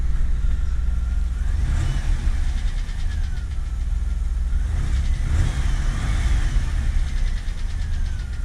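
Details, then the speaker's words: 2000 Camaro 3.8L V6 after engine reinstall; light rattly clatter as revs fall back toward idle on deceleration from above about 2000 rpm, worse cold and gone once warm; source unknown, possibly crank pulley. "and it's only on D Cel at the end once you're going back to Idol when you're above two grand or so like it goes away gone comes back"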